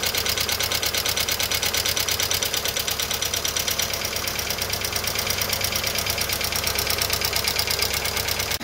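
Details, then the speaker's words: Volkswagen Fox 1.0 at idle, 33 degrees, oil pressure above three bar but later dropping near zero: fast, even, crisp metallic ticking from the top end; probably hydraulic lifters starting to fail. "mas tá com início de tucho pois ele tá apresentando um barulho sendo que tem pressão de óleo né então não era para estar fazendo barulho aí beleza"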